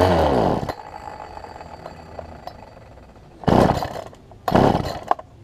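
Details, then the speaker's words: Poulan Pro 18-inch two-stroke chainsaw, fuel line suspected pinched between carburetor and engine, before low-side carb adjustment; fires and revs briefly then dies, with short ragged bursts fading out; runs rough and stalls, won't hold idle. "I did get it to kick over just a second ago but it wouldn't stay running so see if we get this thing to stay running this time"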